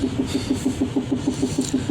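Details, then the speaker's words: Rhythmic scraping rub, about six or seven pulses a second with wheel speed, from new brake pads during break-in; it quiets when the brake pedal is pressed, drawing the pads onto the disc and away from the rim, and fades as it beds in. "course I notice when I do press the brake pedal it does quiet down a bit only because that's drawing those pads against the disc and away from the rim listen it is getting quieter though"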